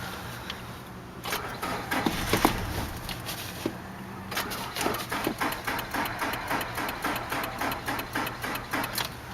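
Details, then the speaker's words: 2003 Nissan Altima 2.5 with a blown engine, at 101,000 miles, after sitting about 8 months: the starter cranks in slow, labouring bursts and it never catches. The battery is not strong enough. "Almost had life. Come on. Let's try it again. Ah. Battery take five or so. Yeah, battery's not strong enough."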